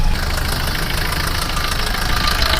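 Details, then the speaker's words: Suzuki Swift Dzire, engine bay at idle after start: steady idle with fast even ticking over the engine note, described as very bad, not fit to run. "इतना घटिया कितना गंदा आ रहा है साउ म चलाने का नहीं होता"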